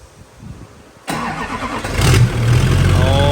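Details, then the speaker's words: LBZ Duramax diesel drag truck with S400 single turbo swap kit: turns over, catches sharply and settles into a deep, even idle with no misses or knocks; healthy start, wiring harness damaged. "So the truck is running, as you guys saw earlier, fired up."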